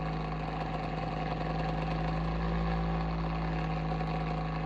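A steady, droning hum with a pronounced low tone runs throughout. It sounds off for a heater fan, but the cause is unclear.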